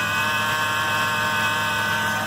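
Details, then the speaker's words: 2000 Ford Ranger 3.0L 4WD after power steering pump replacement: steering works, but the refurbished pump still gives a steady high whine over the engine, just like the old one. "the good news is that the pump is working properly and I have good power steering the bad news is the refurbished model from advanced auto is just this whiny as the one that was on the truck"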